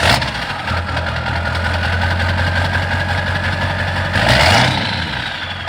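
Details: Ford 7.3 Powerstroke diesel after owner's engine swap: steady diesel clatter at even idle with short blip near the end, no misses or odd knocks; healthy idle.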